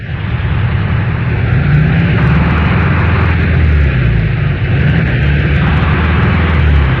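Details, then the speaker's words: Air-cooled Volkswagen flat-four revving high, a loud roar with brief dips and stumbles in the drone: an engine missing at high RPM. "engine with a high RPM miss."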